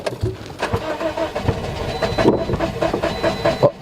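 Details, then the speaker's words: 2009 Toyota Matrix 1.8L: the no-crank was fixed by a new fuse after an ECM had already been replaced. Now uneven starter churning in loose bursts that never catches; the engine cranks but won't start, and fuel is to be checked next. "okay so this is what they're talking about now just keep on cranking but at least we fix uh one problem you know the knock rank and now the car just crank but not start one more time okay so now we got crank no start"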